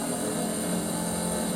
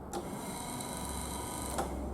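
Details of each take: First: Triumph Spitfire wiper motor after repair, bench-filmed on the car with ignition on: intermittent, speed 1, speed 2 then back down and off; steady, even whirring hum with no knocks or grinding, motor running normally and parking. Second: Triumph Spitfire wiper motor on factory wiring block, ignition on: silent in intermittent and both speed positions, but with switch off it runs with steady whir and faint gear hum; washer also not working, cause not yet found.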